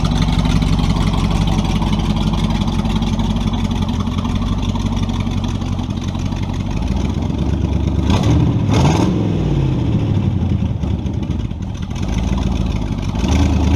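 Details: Model A with a 350 small-block Chevy (hydraulic roller cam, 9:1), tunnel ram with two Edelbrock 600 cfm carbs jetted lean, in a driveway test: rumbles at idle, then stumbles and falls flat on a hard throttle stab; owner unsure if rich or lean.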